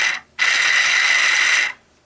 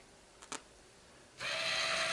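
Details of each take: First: Minn Kota GPS saltwater trolling motor turning housing motor, third in three years, run on the bench in reverse: harsh gritty ratcheting noise from corroded gears grinding; motor on its last legs. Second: Small motor spins up to a steady even high whir with light gear buzz, no grinding, when testing a new Minn Kota GPS saltwater trolling motor turning head housing after replacing the rusted, grinding, locking old one; runs smoothly.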